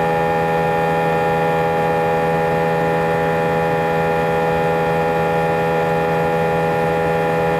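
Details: A320 cabin during takeoff climb: a loud, unwavering drone with strong steady tones, heavier than normal, with vibration felt through the seats for the whole 5-hour flight. Passengers sensed something was wrong, intercom announcements were unintelligible, and ear plugs were handed out. Cause unknown.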